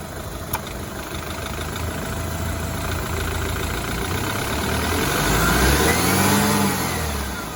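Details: BMW 328i F30 N26 engine revving with a rising whine and quick rhythmic knock underneath; cause unknown, owner suspects a bad timing chain guide.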